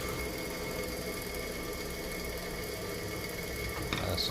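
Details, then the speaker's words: Weber 2 hp (2CV) electric motor, bench-tested before opening: steady hum and whine over a dry, gritty rasp ("barulho seco") from bearings lacking grease; cleaned and lubricated. "Ele tá com um barulho estranho. Vamos abrir ele para nós ver que barulho é esse. Testar ele aqui para vocês escutar o barulho. Barulho estranho, barulho seco."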